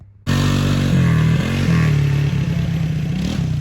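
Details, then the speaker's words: Revived old Honda Foreman Rubicon 500 4x4 ATV after sitting for years, brand-new pre-oiled Honda air filter installed, on a final warm-up test ride: strong, even exhaust note pulling cleanly through light revs without misses or knocks; normal running. "we're gonna take it for one last test ride let it get real warm and uh work everything like it should and make sure everything's good to go"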